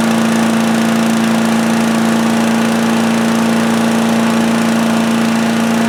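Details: Predator (Harbor Freight) chipper/shredder, 212cc gasoline Honda-clone single-cylinder, running after a won't-start repair, throttle near high, started on choke; it had very little oil. Steady, even drone at constant speed, no misses, knocks or surging; runs normally.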